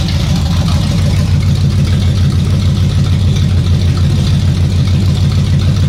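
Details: 454 big-block (7.4L) V8 from a 1974 Nova, over 37,000 miles, running with throttle: deep, steady rumble, no stumble or misfire; healthy, nothing wrong.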